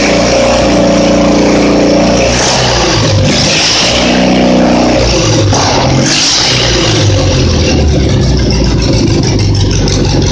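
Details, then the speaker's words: Simplicity twin-cylinder engine, reassembled, revs up and settles smoothly with no misfire or popping under throttle; earlier it popped and misfired when revved, now popping only on let-off; owner suspects debris burned out of a cylinder, so likely no carburetor rebuild needed. "Just want to be a drama queen, I guess. Now she seems to be running good."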